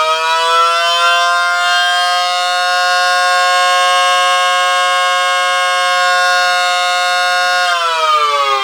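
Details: Mini SD10 siren after replacing rubber motor-axle part that rubbed motor bearing, plus motor cleaning and oiling; previously sticky: clean steady wail holds full pitch, then glides smoothly as rotor changes speed; no drag or rubbing, runs freely.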